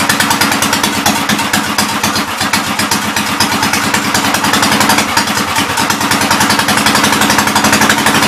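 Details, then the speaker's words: 1944 L tractor running on carb cleaner: ragged idle with sharp pops and crackles about four a second as fuel runs out and it starts to die; popping and crackling from fuel starvation. "So pretty much when it starts popping and crackling, it's running out of fuel. So that's good to know."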